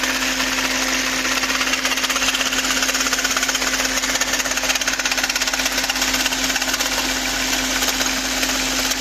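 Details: VW Phaeton V8 running: fast crisp ticking rattle around three per second over a steady hum from the top end; owner suspects camshaft adjuster, source unconfirmed.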